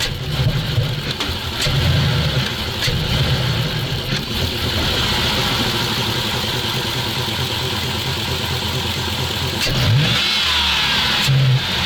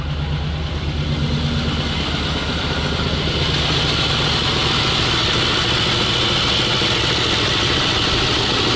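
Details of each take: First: ZIL truck blips up but stumbles and bogs on each rev, then sags back; fuel starvation as gauge shows pressure dropping nearly to zero, owner suspects the fuel pressure regulator not holding. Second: ZIL truck V8 running on petrol while being checked for fuel leaks: even, steady low idle rumble under a hiss, no misses or stumbles; idles normally, though the battery is not charging.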